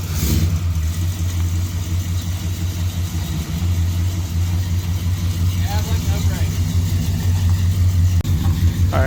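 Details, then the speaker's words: 400 big block long-bed truck outside with new spark plugs, after the head came off to fix the exhaust bolt holes: deep, smooth V8 rumble holding an even beat and free-revving without stumbling or misfire; healthy. "now that i see it outside on its wheels i kind of want it big block to drive long bed even sounds like something i would drive"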